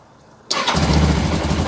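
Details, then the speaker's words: 2000 Suzuki GS500E motorcycle, recommissioned, cold start on choke with electric start (no kickstart). It fires the instant the starter engages and settles into an even, steady idle: a clean, healthy start. "wow. Well, it didn't even crank. That sounds nice. So you're using the choke there."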